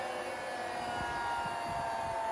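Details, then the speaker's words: Hotpoint WMXTF942P washing machine, unused for a while, starting a quick spin program with an empty drum before repair; clean motor whine settling to a steady pitch, no banging. Normal spin. "So I've started the spin program and just wait for it to get up to speed. And I mean, that sounds okay."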